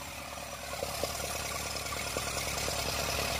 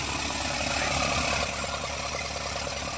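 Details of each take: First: Isuzu NHR55 4JB1 diesel idling briefly with valve cover off, no radiator fitted: light regular valve clatter about three ticks a second; hard starting from leaking valves after too-tight clearance adjustment. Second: Isuzu NHR55 4JB1 diesel, long unused, water previously found in injector nozzle, started with one wire to pump solenoid and starter direct to battery, radiator not fitted: clatters unevenly at about three beats a second with lumpy idle; valve leakage blamed; rough idle.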